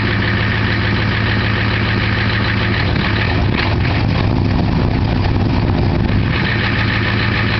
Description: my 1990 250 with 2 bad injectors hope to get a better quality vid with the fixed injectors soon